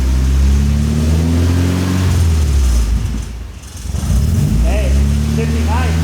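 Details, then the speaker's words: Nissan S14 240SX with freshly rebuilt modified KA24 after fixing a vacuum leak from the EGR delete, driving through gears: deep grumpy truck-motor note climbing under load, brief gear-change dip, clean pull; healthy. "the ka is a truck motor so it just sounds really like grompy"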